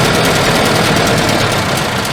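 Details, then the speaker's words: 1974 Volvo 142, fuel-injected, unused since 1988, just started and not warmed up: loud, uneven petrol idle with a rough lumpy beat that sags and bogs; owner suspects the second injector is dumping fuel. "just parking on throttle i bet it's that second injector it's just dumping"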